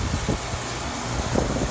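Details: 10 HP outdoor condensing unit after replacing a bad fuse: steady low hum of fan and compressor running normally at startup.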